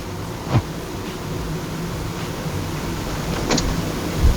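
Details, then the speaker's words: 2011 Honda Jazz in the cabin over a speed bump, mic near the door, after replacing the door trim clips: low rumble and dull thumps, no trim rattle, quieter than before. "ya ya etlis at least to lebih senyap dibanding yang kemarin itu Walaupun mungkin tidak sesuai senyap mobil Mercy"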